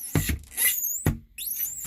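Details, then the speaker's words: New 2024 Winnebago Solis 59P, about 3000 km and one month old: a cupboard door swinging gives a dull thump and a thin pitch-sliding squeal each time; something in the hinge mechanism is binding. "you hear the tump tump tump so something in the mechanism is not as it should"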